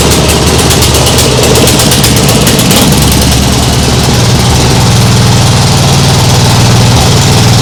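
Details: Nibbi G619 walk-behind tractor engine after carburettor work to cure hunting; throttle at lowest position, low even idle with steady beat and no surging, like a sewing machine, much better.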